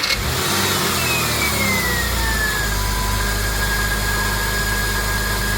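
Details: 2000 Porsche Boxster 2.7 after DIY service with new drive belt, spark plugs, oil and de-snorkeled air intake; engine catches quickly into a smooth even idle, faint belt chirp fading as the new belt beds in: healthy.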